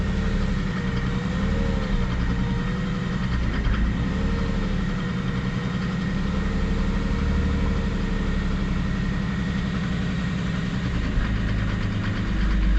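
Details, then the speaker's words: W210 Mercedes E300 turbo diesel, just started after a crank-no-start, battery charging at 13.5 V: lumpy, wavering idle that wants to die while the throttle is held. Cause not yet pinned down. "once really wants to die doesn't it [Music] kind of I'm holding the throttle right now I don't want to let it let it completely off"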